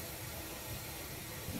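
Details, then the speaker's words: 2006 Ford 6.0 Powerstroke with a long cold crank and no start when hot, engine air-pressurised to find the leak: faint, continuous airy hiss traced to one location: air leak in the high-pressure oil system. "get more of a hissing sound coming out of this one right here"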